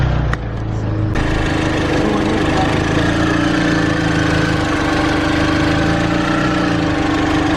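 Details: Engine, after a head gasket replacement with the head removed and no bottom-end retime, cranks briefly, catches and settles into a steady, even idle with a constant tone, running normally; oil found empty, needs oil.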